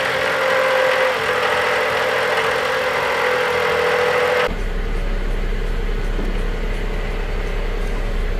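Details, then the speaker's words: 2018 Dodge Journey 2.4L running: steady whirring from the alternator at the engine front changes tone when electrical load is switched on and off, pointing to a worn alternator pulley in the accessory drive. "I can definitely hear a difference. Don't know if you can hear that, but it changes the tone."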